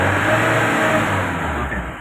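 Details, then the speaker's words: Mahindra Bolero with low pickup after refuelling at low fuel, stalled after 10 km; free rev when cold rises quickly and cleanly to about 3500 rpm (4000 if held), then falls back; loses range after running a while, tank filter jam suspected. "దగ్గర దగ్గర 3500 వెళ్తుంది ఇంకా అలా పట్టుకొని ఉంటే 4000 కి వెళ్తది."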